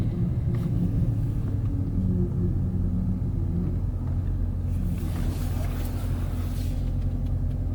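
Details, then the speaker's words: 2015 Dodge Challenger SRT 392, 30k miles, 3.09 rear differential: slow tight turn off throttle brings a low droning groan from the rear under road rumble; worn limited-slip clutches blamed. "yep and there it is so hopefully you guys picked that up in one of these microphones so there's apparently supposed to be clutches in the limited slip differential and that's what's making that noise"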